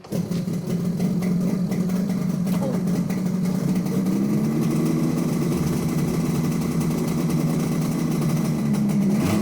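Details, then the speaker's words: Yamaha RD250LC two-stroke motorcycle, ex-Niall Mackenzie bike, before strip and rebuild: steady, even crackly two-stroke idle, unbroken beat, no misses or knocks; ticking over nicely. "It's just a memory. That sound is a memory."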